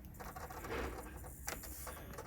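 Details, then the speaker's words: Sony mini DVD disc camcorder, disc from 2007–2014 era: quiet scratchy whirring with irregular clicks and scrapes, drive seeking endlessly and never finishing; disc unreadable, judged ruined. "That should have been complete by now, but listen to it. It's not good."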